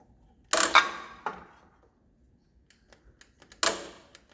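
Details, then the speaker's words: 1978 Yardman Snowbird snowblower with a 10 hp Briggs engine (made July 1977), parked long with old gas: 12 V reaches the starter solenoid. Single sharp clicks about once a second, no cranking. Owner suspects a bad solenoid. "I think the solenoid is bad, because we're getting power to it. That's as far as we're getting. You hear it click, but it won't turn the engine or anything."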